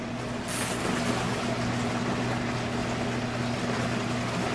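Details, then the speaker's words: Dorm washer on the standard wash setting: steady motor hum with an even drone and no knocking or grinding, a normal wash. More water in the tub can make it shake. "And this is the sound it sounds like when it's washing. Try not to put in too much water. It can shake the more water you have."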